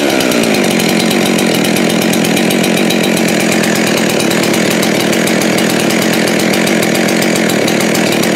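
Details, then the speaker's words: Husqvarna 372XP X-Torq chainsaw, dead saw salvaged with new rings, honed cylinder and lubrication mod; after fitting a later-version carburetor that cured its high idle, steady, even low idle with quick regular burble, no hunting or surging. Normal. "one of the later carburetors solve the high idle issue completely so I guess that was the takeaway and now it just thought putz along at a low rpm"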